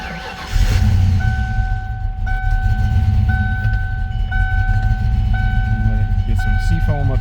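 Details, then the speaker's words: 1993 Mustang Cobra V8 field find, sitting 20 years, head gasket previously done with ARP head bolts; rumbles unevenly at idle under a chime repeating about once a second; owner suspects stuck or clogged injectors or timing: rough running. "she ain't sounding too healthy so I'm going to let it run for a few minutes and see if maybe some of that seats on them and clear them injectors up"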